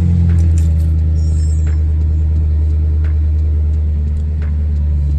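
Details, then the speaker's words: BMW N62 V8, spark plugs replaced and coils checked good, before cleaning the VANOS solenoids: deep idle with a slightly uneven, lumpy, choppy pulse and faint stumbles, jumpy off the brake; cause not yet found. "so as the RPMs rough you can see the idle it's a little yeah it's a little choppy you can't really see it maybe you could hear it but yeah I just don't like it"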